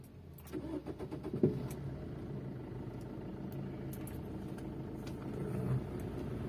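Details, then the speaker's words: Maruti Suzuki Swift Dzire after replacing a worn, one-side-loaded engine mounting (foundation), which caused cabin vibration and a left-side noise after right turns: brief crank, catches, then steady, even idle with no rattle or vibration; problem solved. "Problem solve झालेला आहे. आतमध्ये कोणत्या प्रकारचा vibration feel होत नाहीये. आणि engine सुद्धा एकदम स्मूथ वाटतोय."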